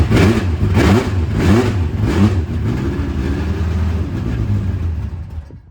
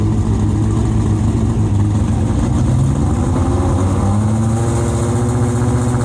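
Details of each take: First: Late-1980s IMSA GTO Gen 3 Camaro race car at first start after arriving in the UK, both fuel pumps on with fuel pressure; engine catches after uneven pulses, then settles into a steady deep rumble, sounding like good compression, a good sign. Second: Late-1980s IMSA GTO Gen 3 Camaro V8 race car with 90 mm exhaust pipes: very loud, deep, raw bark with a harsh edge, measured 117 dB at 4,000 rpm against a 105 dB limit; silencers essentially empty.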